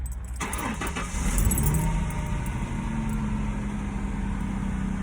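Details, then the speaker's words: 1999 Ford Mustang right after battery replacement: brief quick cranking, catches at once and settles into a steady, even idle; healthy first-time start with no hesitation. "She started up nice, perfectly, first time, no hesitations."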